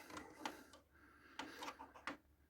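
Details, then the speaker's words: Philips VR101 VCR that would not accept tapes, with a tape stuck inside: loose plastic rattles when the unit is picked up, then quiet irregular clicks and short whirring bursts as eject is tried and stalls; cracked gear in the tape mechanism. "I do, however, have some concerns because when picking this thing up, do you hear that? It's the sound of plastic moving around. Never a good sign."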